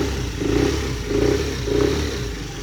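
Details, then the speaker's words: Honda NSC 50R moped/scooter unused for a couple of months, after charging its flat battery with a CTEK charger: small engine starts, then three quick, clean revs about half a second apart; normal running and revving. "just give me a test to see if error actually turn over and start and I'm so relieved that it actually does"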